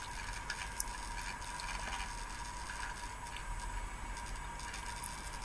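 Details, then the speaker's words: Car driving the Moscow–Tomsk highway, road hum: scattered sharp crackles varying with road surface, coming from the dashcam rattling in its mount, not the cabin. "слышны слышно треск так вот этот трещит не в салоне автомобиля это треск видеорегистратора раздражает он"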